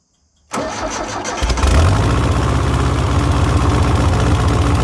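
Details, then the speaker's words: 1970s Layton roller compactor with Ford Taunus 60-degree V4, previously died after about 20 seconds, after sanding rusty points: brief crank, then steady, even, low thumping idle with no misses; starts and runs, fixed. "all right that sounds like we fixed it"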